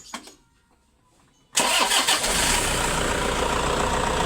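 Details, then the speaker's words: 2005 Toyota Innova after a no-crank fault was fixed by tightening the battery terminal (12.74 V): brief crank, instant catch and a steady even idle; voltage didn't drop much, battery and alternator in good condition. "yun. Umandar na. Okay lang. Hindi naman siya nag-drop ng sobrang baba at good condition pa iyung battery."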